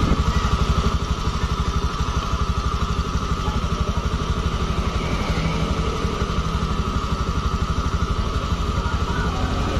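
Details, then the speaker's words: Honda automatic scooter after replacing the rear pulley bearings in the CVT area: smooth even idle hum, rear wheel turning quietly with no rough bearing grinding. "Nah sekarang udah lembut roda belakang dipegang enggak kedengar suara beris S senyap lembut sekarang roda diputar enggak ada perubahan tetap lembut"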